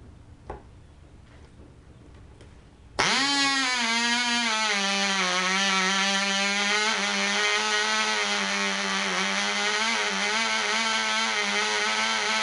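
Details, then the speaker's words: Black Widow mouse racer glow engine, first test run, 24% nitromethane, 5x3 prop, high-compression head, needle at three turns: fires sharply into a high, slightly wavering scream that never settles; deliberately run rich. "do a couple of rich runs here nothing really shouldn't need breaking in"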